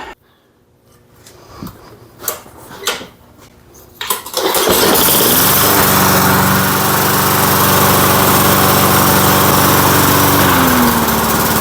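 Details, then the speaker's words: 1990s Lawn Boy Silver Series push mower, parked in a shed for 15 years and now being revived. A few pull-cord tugs, then it catches and settles into a smooth, steady, even-beat run. It is running normally. "I just can't believe this thing starts up and runs as nice as it does"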